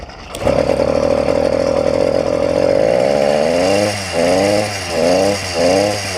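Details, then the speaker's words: YD100 two-stroke engine on a bike, after fixing a piston ring problem: steady buzz that surges and sags every second or so at part throttle, feels like wanting to die off half throttle; rich running bog. "it's not vibrating it's very smooth but as soon as you come out of it like half throttle it feels like it wants to die"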